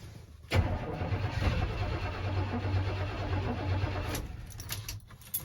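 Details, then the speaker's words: 1985 Chevrolet C10 first start attempt after oil drain, water found down distributor hole, timing just set, belt off: uneven cranking about four seconds, fires briefly, won't run. "i don't know if y'all heard but it fired for a second there so close man it's gonna run it really wants to"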